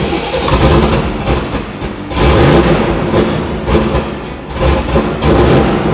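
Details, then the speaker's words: 6.2 LS V8 swapped into a square-body crawler on a Holley Terminator X, warming up: idle surges and sags every couple of seconds, barely holding; idle settings must be brought close so the ECU can relearn. "yeah we need to get it close enough where it's trying to idle and then re-learn"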